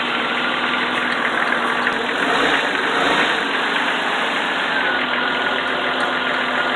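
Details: 1995 Jeep XJ engine idling after an oil change, oil pressure came up: smooth, even idle with constant tone, no tapping or lifter noise; healthy.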